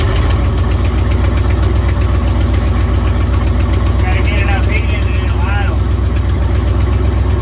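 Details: 1955 Buick Roadmaster V8, revived after sitting 20+ years and fed from a fuel jug: loud, steady low rumble with an even beat about four a second, holding idle without stumbling; healthy.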